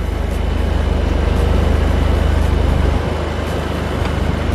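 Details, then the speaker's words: Volkswagen Golf R after an exhaust repair with a clamp fitted: a low, soft, steady thrum pulling away, with no raspy blatting or leak puffs. The formerly loud exhaust is now quiet and tight. "look at it coming out all quiet now my neighbors are going to be more happy now look at that"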